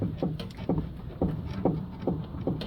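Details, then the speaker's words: 2013 Kia Rio, camera under the car at the sway bar bushing as the bar is rocked by hand: dull click about twice a second, the same click heard while driving; link was stiff, so worn sway bar bushing, which was then replaced. "Just that little click is what I was hearing while we were driving."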